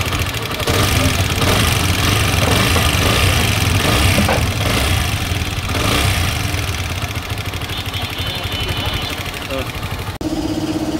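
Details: TVS Apache RTR 4V motorcycle at idle: quick, uneven metallic ticking about three per second over the idle, from a failed exhaust valve rocker whose side is worn.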